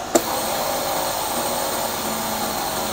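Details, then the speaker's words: Pneumatic explosion-proof vacuum cleaner running on compressor air; pushing the green button fires compressed air to clean the HEPA filter automatically. A sharp air pop, then a steady even suction rush; the filter pulse cleaning works normally. "Yeah, it is use the compressed air and to clean the HEPA filter. Just push this green button, it's okay."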